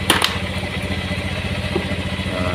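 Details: Honda Beat FI scooter idling with battery unplugged to check regulator charging voltage: steady, even single-cylinder putter with a couple of handling clicks early; idles cleanly, charging 13–14 V, battery the fault.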